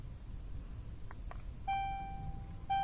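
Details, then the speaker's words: Land Rover Discovery Sport, scan tool entering parking brake pad replacement mode: faint clicks as the electric calipers wind back, then two steady high dashboard chimes about a second apart; normal warning tones during brake service mode. "notice how everything's going crazy on the dash i can hear the caliper winding back parking brake and maintenance mode"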